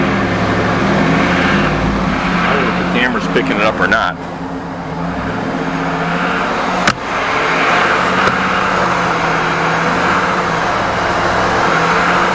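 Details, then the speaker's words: 2010 Cadillac Escalade 6.2 L V8, about 103,000–105,000 miles, cold idle after start-up: loose, uneven knock about four per second over the exhaust note, judged severe piston slap. "2010 Escalade 6.2 liter man this thing has piston slap from hell it's uh one of the worst I've heard"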